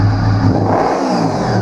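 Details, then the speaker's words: 1998 Honda VFR800Fi that sat about 8 years, revived and started: smooth, even rev climbing cleanly from idle with no stutter or misfire; engine idles and ramps up healthily. "So let's see, pop the key. There we go, idles beautifully."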